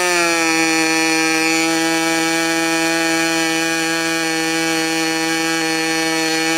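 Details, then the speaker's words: Freshly overhauled modified CF Lee K&B .61 glow engine on test run: high, steady buzzing whine at even pitch with no misses or sputters, running cleanly. "That engine I just overhauled. Sounds good."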